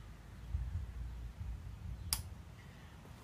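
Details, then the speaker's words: 1973 Honda CB750 with original turn signal relay, before electronic relay upgrade: a few sharp clicks at uneven intervals, delayed, inconsistent flashes — inconsistent turn signal relay clicking. "little bit of a delay some flashes somewhat inconsistent"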